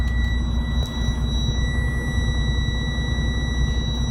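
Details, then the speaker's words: Flatbed semi truck just started in the morning, diesel idling with gauges in the red after using a cuff lock: steady high-pitched buzzer beeping as the low air pressure warning while tanks build up; at low air pressure all brakes automatically engage as a safety precaution. "going back to those two gauges that was my air pressure you heard that thing beeping and what happens is when your air pressure gets down low all of the brakes automatically engage so it's a safety precaution"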